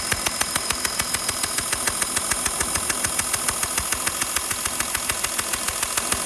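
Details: Porsche Cayenne 2012 3.0 diesel at steady idle: sharp, even ticks about twice per second; the owner suspects an exhaust leak, possibly a valvetrain tick, cause unconfirmed.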